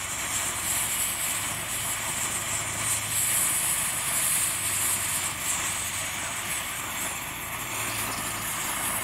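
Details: Dual-fuel gasoline/diesel camping stove burning diesel in windy conditions after a longer preheat: even, steady hissing roar of fuel vapor from the jet with no sputter or surging; the flame clears and burns cleaner.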